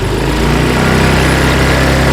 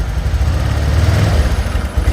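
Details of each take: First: Honda Vario 125/150 scooter after injector fault fixed (was hesitating, weak at low rpm): steady low idle, then smooth climb from 1500 to 3000 rpm with no stumbles or misses; normal revving. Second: Honda Vario 125 (first KZR series) after engine rebuild, idle then gentle throttle: low, uneven burbling that surges and sags, stumbling at low rpm but fine at full throttle; injector, TPS or fuel pump suspected as cause.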